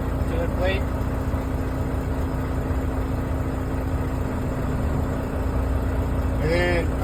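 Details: Penske truck diesel just started at idle while the air brake system builds pressure: steady low rumble holding an even idle with a few faint high chirps. Normal diesel idle.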